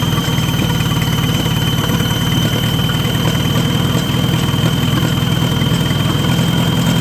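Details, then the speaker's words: Oliver 550 gasoline tractor bought at auction, first running; low uneven idle with loping thump about twice a second, faint squeal from belt; carburetor idle screw found completely closed: rough idle. "definitely something not right in the carburetor the idle screw is completely closed"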